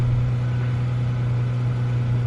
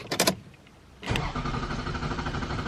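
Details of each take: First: Toyota Camry that idled rough and stalled on cold morning starts, just after throttle body cleaning for carbon buildup, white smoke from the cleaner burning off; petrol engine idles with steady, even low hum, no stumbling: normal idle. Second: Camry with rough idle and morning stalling, started right after spraying throttle-body cleaner against carbon buildup: starter cranks steadily about three seconds but the engine does not catch because cleaner floods the intake; it starts on a later try with white smoke.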